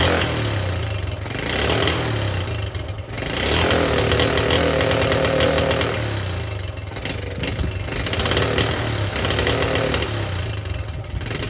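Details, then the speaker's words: Honda C70 Cub small single under restoration hunts and stumbles, firing unevenly with loud irregular bursts instead of a clean beat; rough running. "yeah thought it was perfect I think you know why it wasn't perfect"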